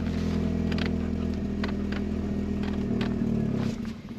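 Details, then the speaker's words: Vauxhall Mk3 Astra 1.4 petrol, 102,000 on the clock, parked since 2018, charged battery, management light on, no fan: idles steadily a few seconds, then sags and cuts out randomly on its own; stalling, cause unknown. "no fan and it cuts out it random after a few seconds running"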